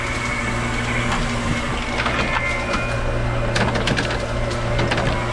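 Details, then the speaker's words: Hoshizaki ice maker after thermal expansion valve (TXV) replacement and restart in ice mode: steady low hum with sharp cracks and clatter as good-looking ice releases and falls; harvest works normally. "And it's gonna go and do its thing. Dropping. Made something. That's some good looking"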